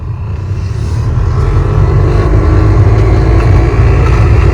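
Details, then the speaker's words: 2006 GMC Yukon Denali XL 1500 heater blower after it was cleaned of packed debris: a steady, heavy low rumble with an airy roar, about half as loud as before. The owner suspects more debris or a failing fan motor. "that's how you clean out your blower motor and get your heater to quit making noise and start blowing some air again if that's what was wrong with it well this is what it sounds like come on jeez did you hear that"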